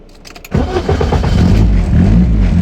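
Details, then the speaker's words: BMW E36 318 (M42), after crank-no-start fixed by tightening opened-up ECU connector pins, EWS deleted: brief crank, catches immediately and settles to steady even idle, now firing every crank; normal start and idle. "So finally some potentially good news for the 318. It seems to be firing every time I crank it."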